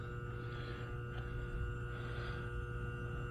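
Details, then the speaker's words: A2 bowling pinsetter: motor contactor (relay) jumped out and pulled in, giving a steady low electrical hum, but the motor, unplugged for safety, does not start; burnt relay contacts suspected. "But yeah, relay's humming. and I can hear it, but it's not uh turning this motor on. So, may have some burnt contacts on uh on that read style relay."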